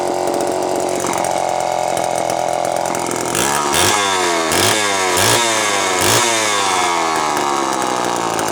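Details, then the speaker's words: Terry-built Homelite chainsaw, unboxed and first run: idles, then burbles unevenly through several throttle blips without clearing, smoking; owner says carb way out of tune for fuel mix and elevation, two-stroke running rich. "Smoking. Well, I was way out of tune for my fuel mix and my elevation, but that's okay, I'll figure it out."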